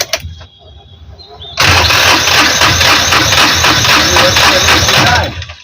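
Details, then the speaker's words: Mahindra Maximo cranks steadily about four seconds but won't start even after repairing a broken wire; code P0340 camshaft position sensor signal error. "ये देखिए start नहीं हो रहा है अभी तक खुले।"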